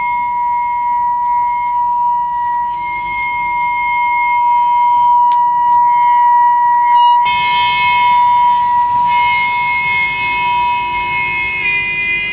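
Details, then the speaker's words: Trane rooftop gas unit: loud, steady high-pitched howl with overtones from the combustion blower, caused by incorrect gas pressure; adjusting the gas pressure quieted it. "Well, that's interesting. Very loud howling noise coming from this combustion blower."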